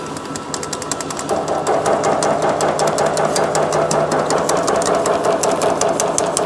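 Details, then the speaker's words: Metal shrinker set up for shrinking, running at high speed on 16 gauge 3003 H14 aluminium scrap. Fast, even hammering about two and a half strokes a second, steady and unbroken. Normal shrinking operation. "So I'll go ahead and I'm just gonna turn it on high speed."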